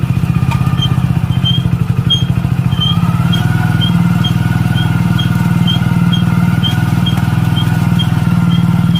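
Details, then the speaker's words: Motorcycle running with a steady low drone and a faint regular light tick about four per second. Caused by brake shoes or pads sticking after water got in and rust formed. "आवाज़ तब आती है जब आपके break shoes या फिर brake pad है वो चिपकने लग जाते हैं, और ये मोस्टली तब होता है जब उनके अंदर पानी चला जाता है"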